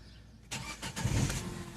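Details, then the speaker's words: Peugeot 3008 1.6 petrol, Bosch MEV17.4 ECU: it cranked but would not start due to an immobilizer fault. After immobilizer disabling, the starter spins briefly and the engine catches cleanly into a steady idle. Normal start after repair. "και παίρνει μπρος άψογο. Ήταν βλάβη immobilizer τελικά και δεν έπαιρνε μπρος."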